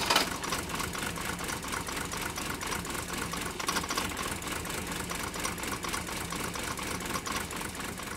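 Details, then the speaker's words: Mercedes 123 diesel "Digby", cold start: uneven lumpy clatter at idle with irregular misses and no steady rhythm; still running rough and smoking a lot, cause not yet found, EGR valve under discussion. "as you get here Digby still running really rough now I know a lot of you talked about how the fact that well it's just a rough sounding diesel engine"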